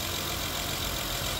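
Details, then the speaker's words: 2015 Honda Odyssey 3.5 V6 (check engine light after cold starts), first start after valve adjustment, in neutral: a steady, even idle hum with no knocks, ticks or stumbles. Normal idle. "okay sounds smooth oh there you go sounds good nice and smooth I'm happy with"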